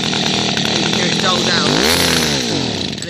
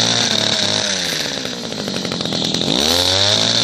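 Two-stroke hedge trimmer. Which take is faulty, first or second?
first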